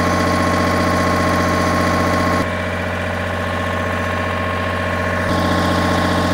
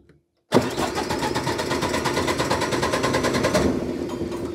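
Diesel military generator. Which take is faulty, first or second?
second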